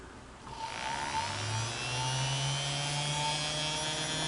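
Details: Singer Model 221 Featherweight sewing machine motor after rehab (cleaned commutator, new grease wicks, brushes reinstalled); it spins up over a second, then settles into a smooth, even hum of steady pitch with no ticking or rubbing; runs smooth and quieter.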